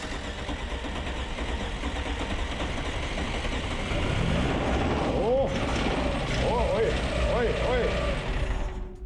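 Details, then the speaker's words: Petrol engine with 16:1 compression ratio, freshly started cold on 92-octane fuel, with an irregular metallic rattle and pinging over a rough, busy running note: detonation knock. "Oh wow, was it in serious pain. Did you hear the knocking noises? Immediately the engine developed a knock."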